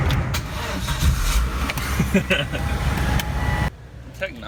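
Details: Dead car jump-started with a Viking lithium-ion jump pack: starter churns briefly, then the engine fires and settles into a steady run before cutting off; normal crank and start on the booster.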